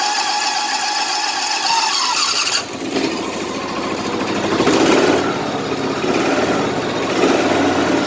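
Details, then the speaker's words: 2010 Exmark LZ60AS mower with electric choke and a replacement engine fitted last August: a quick crank catches at once and settles into an even, steady idle with no misses or knocks. Normal start. "There we go. This one's electric choke. Fires right up."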